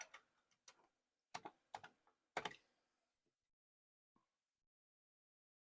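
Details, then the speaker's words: Commodore 64 1541 disk drive loading the directory: sharp clicks and short rattling bursts, then quiet as the head steps and reads; normal loading. "We are loading the directory. We are listing. There it is."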